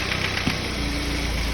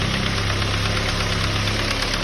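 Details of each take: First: Ford Focus petrol engine after the fix, idling smoothly with an even low hum and no more knocking; the earlier noise was traced to the intake manifold area, so the engine itself was not knocking. Normal idle. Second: Ford Focus petrol engine idling with a fast, light knock-like rattle. It is not engine knock but loose pieces bouncing inside the intake manifold, found by pulling the manifold off.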